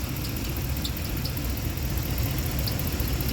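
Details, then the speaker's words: 2015 Ram 1500 5.7 Hemi: busy V8 idle with a quick light ticking over a steady low rumble; lifter tick. "el cliente que que se escucha robo que parece que trae un pollo adentro un pollito"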